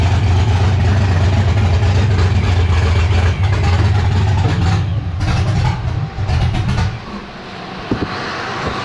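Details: 1984 G-body Cutlass with LS swap and ProCharger on Holley Terminator X EFI, running after the throttle screw is cracked open more. A loud uneven V8 roar surges and sags, then settles to a lumpy, unsteady idle. The engine runs rough, is untuned and needs going through.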